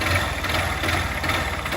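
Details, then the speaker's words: pode ser ó biela aqui de cilindro pode ser os dois entendeu só que pode ser aqui de cilindro pode ser biela porque realmente é "pode ser ó biela aqui de cilindro pode ser os dois entendeu só que pode ser aqui de cilindro pode ser biela porque realmente é"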